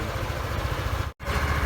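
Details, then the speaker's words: 2018 Yamaha Aerox scooter, 16,000 on the odometer, after oil and gear-oil change: even, low putter at steady idle, rear wheel turning gently, no ticks or rattles; normal idle, engine sounds healthy. "ang normal natin, umaandar talaga yung gulong, pero mahina lang yan. So ang ganda ng tunog ng makina."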